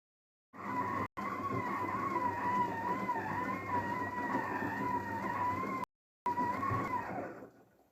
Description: DAEWOO DWD-FT1013 washing machine rinse with squeak noise